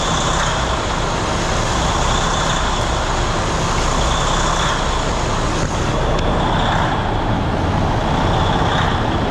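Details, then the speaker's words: John Deere diesel idling with a loud level that rises and falls every couple of seconds, an idle surge that goes away when idle throttle is raised. Owner plans to replace the fuel quantity control valve; cause not confirmed. "so you can kind of see that it's surging uh while it's idling you kick up the um Idol a little bit the throttle that kind of goes away"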